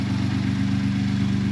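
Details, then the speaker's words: Ford 3.5 EcoBoost on first start after new turbos were installed. It whistled at startup, then calmed to a smooth, steady idle with no whistle, miss or knock. A few oil drips were on the ground. "It's running smoothly. Doesn't appear. I mean, when it started, it was funny. You just hear the thing whistle, and it calmed right down."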